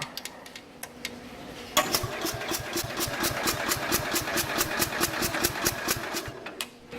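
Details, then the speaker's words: 1969 Bolens 850 tractor, Wisconsin S8D engine, charger connected: quick light cranking about four beats a second with soft uneven compression pulses, slow and abnormal; owner suspects compression escaping the cylinder prematurely. "just listening to the thing cranking over just does not sound right to me. That's not how a normal engine should sound. It sounds like a lot of the compression is leaving the cylinder prematurely."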